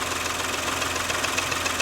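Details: Porsche Macan S after timing chain and tensioner replacement, started with no fans: light sharp knock about seven times a second at warm idle, drifting in and out over the engine hum once off fast idle; piston slap.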